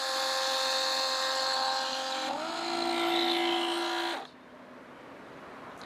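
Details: Flojet portable RV waste pump moving grey and black tank contents through a garden hose to a toilet: steady high whine stepping down in pitch as load changes, then clean shutoff; normal pump operation.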